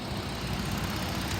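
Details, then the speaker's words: 2014 Ford Taurus Police Interceptor AWD V6, 97,000 miles and 11,396 idle hours, collision-damaged: a steady, even idle with AC running and no misses, knocks or ticks; engine sounds healthy. "AC's blowing cold motor sounds good it idles"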